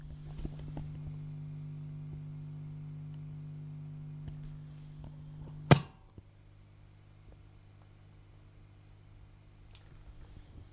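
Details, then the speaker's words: PRS MT15 tube amp, full power mode, reverb and delay pedals in the effects loop, mic near cab: low steady mains-type hum on an otherwise quiet amp; extra hum from the effects loop. "And on the full power mode, so there is a little bit of hum, extra hum, if you have, in my case, a reverb and a delay pedal plugged into the effects loop."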